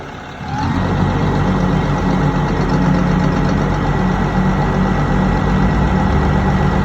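Rises and then drops back to a lumpy, heavy idle with an uneven beat and a low shake underneath; the engine is misfiring.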